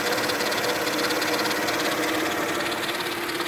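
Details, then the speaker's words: 2000 Mercedes E320 wagon at idle, heard at one side of the engine bay: a busy, rattly whir with a fast uneven tick about three per second, with stiff steering and fluid level fine. Owner suspects the power steering pump; no whining or metal grinding. "hope somebody can help me out with this because i never heard that sound before and i got a stiff stirring and so i hope it's just the pump you know"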